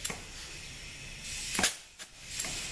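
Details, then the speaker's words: ZF6HP26 automatic transmission on the bench after valve body overhaul, air check of A and E clutch packs before fitting valve body and pan; short air hiss bursts ending in firm thumps, no leak-down. Clutches apply normally. "all right so this is gonna check our aid and II clutch packs and that sounds good and then down here we'll check the rest of them okay that's good"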